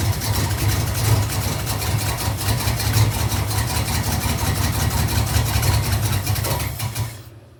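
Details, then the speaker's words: 1986 Camaro Z28 350 small-block V8 at first start after unloading: runs rough with backfire out the exhaust; owner suspects timing, maybe valve train; oil change and fuel tank cleaning still needed. "It sounds a little rough. And I'm not sure what that noise is cuz I'm new to the small block Chevy game, but it fires off. It's backfiring out the exhaust, which means that we have a timing thing going on."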